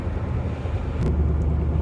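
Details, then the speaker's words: Nissan Maxima while driving: deep steady drone under road noise, reported as a knocking sound, from a worn front hub wheel bearing. "so wife previously states vehicle making knocking sound"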